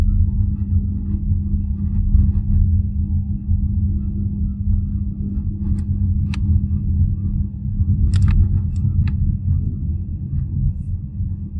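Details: BYD Atto 3 at 20–32 km/h: strange steady low hum with a constant mid tone on top of the pedestrian safety sound, over road rumble, with a few clicks. Cause unexplained.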